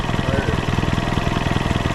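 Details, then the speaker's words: M151A2 military Jeep at idle with the mass airflow not hooked up and a vacuum port opened: a steady airy hiss over the pulsing idle as air is sucked into the engine; vacuum leak. "vacuum right there yeah there's all vacuum sucking that out of the motor"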